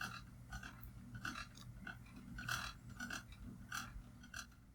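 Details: Ceiling fan with light kit, wobbling at different speeds: short high chirping squeaks just under once a second over a low steady hum; owner suspects an out-of-balance blade, not confirmed.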